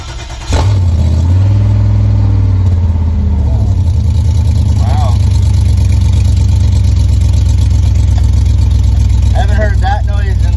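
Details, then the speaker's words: LS-swapped Chevy V8 with no transmission fitted, starter bolted on, after VATS disable via TunerPro/LsDroid: starter catches quickly, fires and settles to steady even idle, no misses or knocks; healthy. "the good thing about the chevy is the starter and the flywheel bolts of the engine so you don't necessarily need the transmission to like run it on the stand or whatever so um yeah i wonder if it shall fire up"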